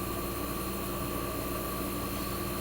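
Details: 1965 Fedders Weather Wheel air conditioner warming up after cold start in a cold shop, condenser fan cut off with only the evaporator fan running, as in a defrost cycle, building head pressure: smooth steady mid-pitched hum; compressor sounds fantastic, normal.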